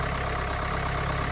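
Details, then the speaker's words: 2014 Kia Sportage 2.0 CRDI diesel idling just after a full service with Mahle oil, air and cabin filters and 8 L Ravenol 5W30; a brief rattle in the first seconds after start, then steady even diesel clatter with no knocks or misses: normal idle. "you may have heard it it did sound a bit different in the first one or two seconds but now it's back to its original sound"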